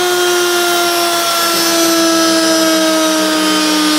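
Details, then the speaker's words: Used washing machine motor on a bench test rig, mic very close, cranked up then switched off: clean whine coasting down in pitch, no carbon brush sparking or scraping, quiet bearings; normal motor spin-down. "as you can hear no sparking on the actual carbon brushes the bearings are quite quiet for the motor being so close to the microphone"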